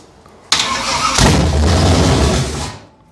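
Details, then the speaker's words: Abandoned 1968 Camaro small-block Chevy V8, no exhaust fitted, choke off: brief crank, then catches and settles into an even idle with no clatter or knock; runs okay. "Okay, so it runs. Actually sounded okay. That was mint."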